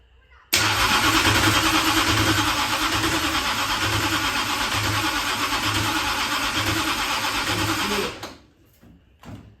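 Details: Dirt-track race engine during first start attempts, ignition on and fuel in: a harsh, gritty starter whir over slow, even cranking pulses of about three a second, with no firing. The starter sits too close to the flywheel and binds.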